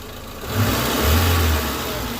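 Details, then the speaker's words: Engine idling with the single accessory belt (A/C, power steering, alternator) removed: steady low drone, squeal completely gone, confirming a belt-driven pulley or accessory bearing caused the squeal that appeared after rainy weather. "ремень это кремень спину шум полностью ушел"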